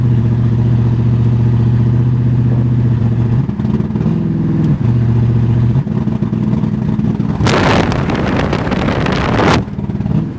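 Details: 1981 Mercedes 380SL V8 with K-Jetronic, first test drive after replacing fuel pump, fuel control relay and all fuel lines: uneven, stumbling engine note that wavers and drops out with a rough surge; misfiring, sputtering and lacking power under load.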